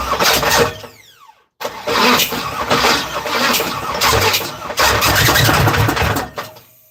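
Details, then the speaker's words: Third-gen (82–92) Camaro V8 that ran before: starter cranks, stops, then engine catches with rough, uneven burst for a few seconds and dies; afterward starter scraping, owner suspects it needs a new flywheel. "This engine did run before. I don't know what's going on with it today."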